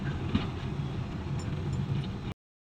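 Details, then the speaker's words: Steady, even low idle with no stumble after carburetor overhaul and distributor cleaning; previously kept stalling, now runs smoothly; normal idle. "dati mamamatay na mamatay na ngayon okay yung niya ganda yan"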